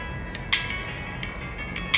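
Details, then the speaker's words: Samsung A10s loudspeaker after repair; the hoarse audio was traced to a non-original charging board without components, fitted elsewhere. The ringtone now rings clean and crisp with no rasp or crackle on high notes: normal speaker audio. "o problema do áudio resolvido tá gente então a gente descobriu que realmente ó então a gente descobriu que a placa de carga primeira linha sem componentes estava afetando o áudio do aparelho"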